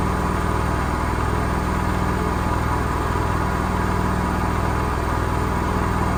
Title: Gorenje SensoCare - Bad Bearings at 1200rpm